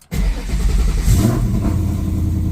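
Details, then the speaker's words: SN95 Mustang GT with Gen 3 Coyote V8 swap, control pack and new harness, first start: fuel pump primes 2-3 seconds, catches almost instantly, flares briefly, settles to a steady even idle near 1200-1300 rpm; clean healthy start. "So pumps kicked on like normal, did the little 2-3 second to build up pressure,"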